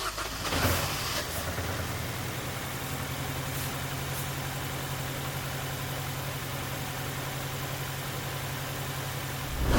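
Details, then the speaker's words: £250 Mini Cooper after timing chain work, stabilised, not overheating, coolant level fine: even steady idle hum, revs continuously smooth, sweeping noise in background; normal healthy idle. "The revs are continuously smooth."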